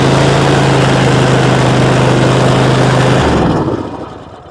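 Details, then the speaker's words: Zero-turn mower, 96.5 hours, after refueling from running dry, customer-installed new carburetor, fuel filter and pump: loud steady high-pitched drone, then shuts off and winds down; running too fast, new carburetor suspected. "running way too fast. I don't know what's up with that carburetor he put on."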